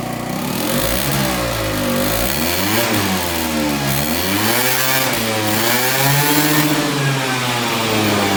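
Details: Aprilia SR50 Purejet scooter, Piaggio two-stroke, after rebuild with original cylinder and piston refitted, revving up and down cleanly, pitch rising and falling smoothly with throttle, no misfire or knock; running normally, now reaching 9000 rpm.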